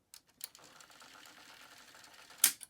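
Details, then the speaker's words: Bell & Howell 2394A cassette recorder under repair, plays but volume control dirty: button clicks, even light whir of tape spooling, clean stop click; fast forward normal. "okay so it um it does play though the volume control is dirty let's see if it fast forward and rewinds"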